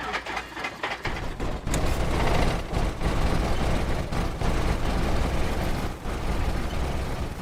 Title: Cessna 172 Cranker Wanker Backfire Startup (Hard Start Lovers Video)